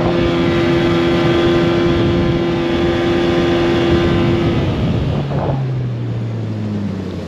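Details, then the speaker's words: Suzuki DT 9.9 (15) outboard on a Solar 350 Optima boat, new motor during break-in, cold weather: steady high buzz at full throttle then easing off; reaches only 5150 rpm, within normal range but not enough, cause unknown. "Turnover 5 150. This is within the normal range, but not enough. I don't know what to do with it yet."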